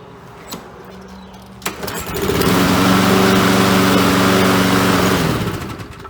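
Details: Briggs & Stratton 7.25 hp four-stroke lawnmower engine with no choke or primer, notoriously hard to start. Propane is sprayed into the air filter intake. A few clicks, then the engine catches and runs with an even, steady beat before winding down: a normal start.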